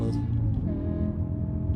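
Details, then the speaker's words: 2008 BMW M5 E60 V10 with the exhaust's mufflers and resonators removed: deep, loud droning rumble with a steady low hum and no muffling; loud exhaust drone. "I don't like the exhaust out, but it makes a lot of noise. Definitely going to be a noise complaint for my neighbors."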